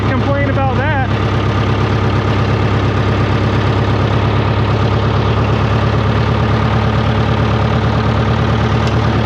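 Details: 1968 John Deere 500A diesel tractor (industrial 3020), after replacing 10+-year-old fuel that owner blames for stalling and up-and-down RPM, started on a warmer day after sitting a week: steady even clatter at low idle, no hunting or misses; normal idle.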